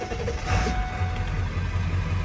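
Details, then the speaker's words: 2000 Ford Excursion 7.3L Powerstroke diesel, 192k miles, stock, cold air intake, warm after about 10 miles driven: steady low idle with an even, unhurried rumble and no knocks or misses; normal warm idle. "Let me start this thing up, you guys, so you can hear it run. This is not a cold start. Keep in mind I have driven it about, I don't know, 10 miles today."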